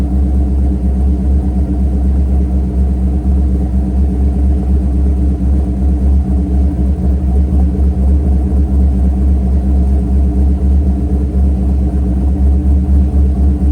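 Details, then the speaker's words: Mercury Grand Marquis 2V V8 with Todd Warren custom grind cams, after modifying AFE intake so IAC valve works: deep lumpy steady idle, brief bounce at startup as IAC settles to regulated idle. "if you guys noticed on startup, there's that little kind of bounce of the idle before it leveled itself out, and that was the IAC valve catching itself and leveling itself down to a regulated idle."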